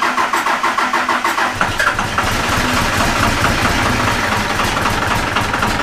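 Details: Cummins diesel swapped into a Jeep YJ, first start; catches with uneven lumpy pulses about two seconds, then settles into steady clatter, intake air noise audible; briefly rough then smooth, healthy.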